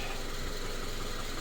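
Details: Subaru FB engine, after a no-oil-pressure fault: paper towel from an oil change had clogged the oil pickup, cleared and pan refitted; smooth, even low rumble at idle with no knocking or ticking after an hour of running.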